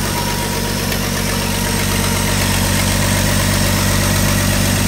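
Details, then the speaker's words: 1985 Ford F-150 300 inline-six idling after a cam gear replacement: fast, sharp puffing tick over the low exhaust drone, heard on the exhaust side; exhaust leak, otherwise well broken in. "there is a bit of an exhaust leak you can hear it when you go you come out over to the exhaust side of things"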